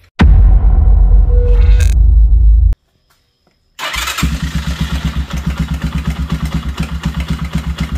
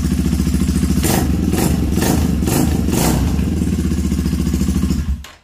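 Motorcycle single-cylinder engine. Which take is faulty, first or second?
first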